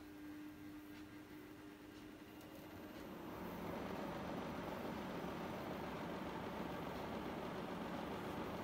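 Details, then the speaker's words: Split air conditioner indoor unit after cleaning and fan motor bearing replacement: faint hum then steady even air whoosh with no rubbing, scraping or ticking; fan runs smoothly, noise gone. "as you can see, my noise has disappeared completely. Now it is sounding how it should sound like."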